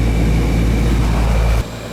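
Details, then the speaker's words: Newer Ruud AC condenser after fixing the loose wire connection that caused the no-cooling; nothing wrong upstairs. A smooth, even low hum that then cuts off cleanly. It sounds healthy and is cooling. "I did check upstairs there was no issues up there that's what you want to see right there she's cooking mama"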